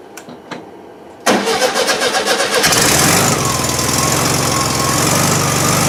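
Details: 1971 VW Super Beetle with freshly cleaned carburettor; starter churns a few seconds, engine catches and flares to a high uneven run that won't settle; hard starting and no idle, owner suspects restricted over-tightened idle jet.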